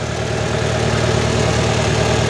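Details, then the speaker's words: Toyota Dyna Rino 115 PS diesel truck during an alternator check: the positive cable is removed and the engine keeps a smooth, even, slightly raised idle with no dropout, so the alternator is charging. "masih hidup Apabila kita lepas seperti ini kemudian mesin mati berarti alternator tidak [Musik] mengisi"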